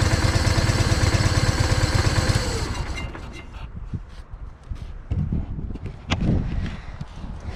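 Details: John Deere 318 lawn tractor that stalled and wouldn't crank, started by jumping power to the starter with key on: small engine chugs steadily at fast idle a few seconds then dies away; runs fine once powered, safety switch at fault.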